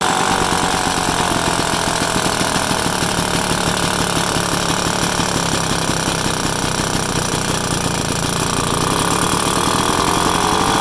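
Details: 1966 Vespa SS180 engine on a stand, first start after rebuild: fast, even two-stroke buzz with a steady rattly beat and no misses or dropouts; running cleanly, normal.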